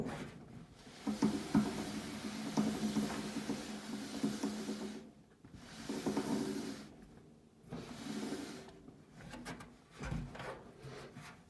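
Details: Whirlpool dryer, checking idler and motor: uneven scraping rub in bursts with low hum underneath and pauses; something dragging in the drive, source unclear. Rubbing noise.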